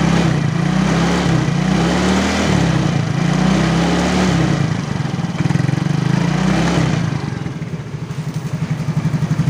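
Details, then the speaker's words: Yamaha X-Ride (Mio, engine code 54P) after replacing worn piston and cylinder block, revved to about 3000–4000 rpm: smooth, even revving with no knocking or rattle, formerly rattled under throttle; normal revving. "Udah halus ya, yang sebelumnya kan kretek gitu ya."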